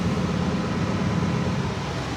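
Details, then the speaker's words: Lexus GX470 AC blower motor after a squeak repair, recorded with the microphone near the blower: steady, even fan rush with a low hum and no squeak or chirp; running smoothly and quietly. "or not hear rather, there is no squeaking. So that did fix the problem, thank God, because that was driving me nuts."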